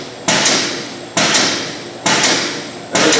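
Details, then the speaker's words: CannabisSFE 1x1L CO2 extraction system pump running at set flow and pressure before shutdown; loud sharp thump about every 0.9 seconds, each followed by fading hiss, steady and even, pump cycling normally. "sounds good running normally um shut down"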